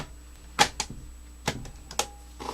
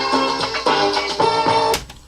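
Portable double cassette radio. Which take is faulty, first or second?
first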